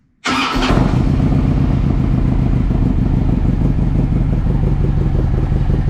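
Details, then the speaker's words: Harley Ultra V-twin, in neutral, after starter motor replacement to fix starting problems: brief clean crank, fires straight away and settles into a steady even idle; normal start. "So job done. Pretty pleased with that."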